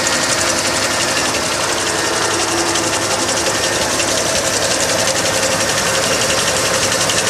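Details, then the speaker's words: 1986 Ford F150 at idle, hood open: engine runs smooth but a fast, uneven, hissy chatter rides high about three beats a second from worn, slipping belts; the power steering pump is also worn out. "needs new belts just what you hear there"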